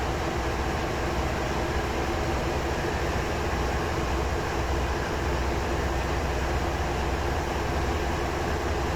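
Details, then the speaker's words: Both main diesel engines of the long-dormant ship MV Steve Irwin, speed raised off idle from the engine control room via governor control air: deep, heavy, steady roar rising smoothly, no knocks or misses. "have a listen if see if you can hear the RPM increasing you can also see it on the gauges there"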